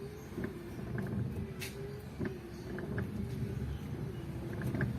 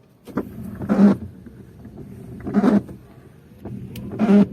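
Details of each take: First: 10-year-old Mitsubishi Adventure with new universal wiper blades replacing noisy 5–10-year-old Boschs, sweeping a sprayed wet windshield at idle: only faint soft swishes, minimal acceptable noise. Normal quiet wiper operation. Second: Mitsubishi Adventure with 5 to 10 year old Bosch wipers on sprayed wet glass: loud squeak-chatter about every 1.6 seconds per sweep, persisting after swapping left and right blades; blades need replacing.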